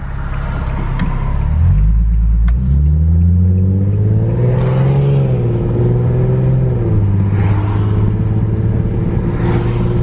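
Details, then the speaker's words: Infiniti G37S driving at about 20 mph, floored: heavy low growl swelling under acceleration with wavering throb, helicopter-like, faint clicking, steering wheel shaking; driver-side wheel, owner suspects failing wheel bearing. "see my wheel that is not right and that's going like 20 here's here that and just like legit sounds like a helicopter just like a chopper"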